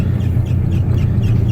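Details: 1987 Chevrolet S10 pickup driving at about 20 mph: quick, light chirps about four times a second over a low drone, coming from the speedometer.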